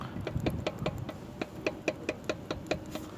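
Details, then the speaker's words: Pontiac Vibe left brake caliper rocked by hand gives sharp, hollow metallic knocks about two a second, while the right is solid; likely worn caliper guide pins, to be replaced with new non-original guides. "И тут случайно вспомнил, думаю, дай-ка посмотрю суппорта. Оказалось, ребят, гремит левый суппорт."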